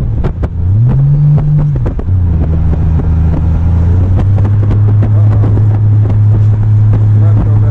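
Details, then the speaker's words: 1998 Honda Goldwing GL1500 SE on a test ride: revs flare, then settle into a steady drone that doesn't pull harder; clutch slipping despite a new master cylinder and a check ball added at the pushrod. "okay so as you might have heard me in the video when I did that last test run the clutch started slipping"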